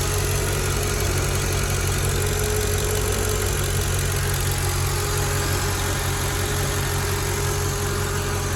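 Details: Mercedes ML55 AMG V8 after oil catch can install, check engine light on for an EGR fault: deep, steady, even idle with no misses or hunting; a slight vacuum-leak-like sound came from the dipstick sitting out because of a worn O-ring. Normal idle.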